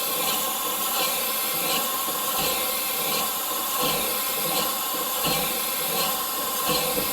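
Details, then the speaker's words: Morey vertical slotter cutting internal keyways in manganese bronze gears, after moving the coolant mist sprayer back to its earlier spot: a smooth, even hiss each stroke, about forty per minute, with no squeal or chatter. The cut is well lubricated. "that sounds much better like it's actually getting cutting fluid"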